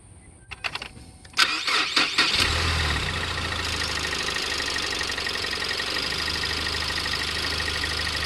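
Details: 2018 Ford Explorer under 30,000 miles that intermittently won't crank: brief churning crank, catches within a couple of seconds and settles to steady idle after tapping the starter; intermittent starter dead spot.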